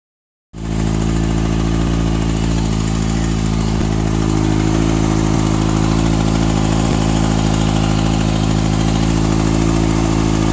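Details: 2014 Kawasaki ZX-6R ABS, 8000 km, Graves slip-on exhaust: light, fast tick riding over the exhaust note at idle; cause unknown.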